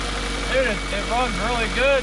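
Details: Ford Focus bought cheaply, not running until a separated pigtail wire was cut back and held together; it fires and idles steadily with smooth rising and falling revs, no misfire or knock, and runs normally.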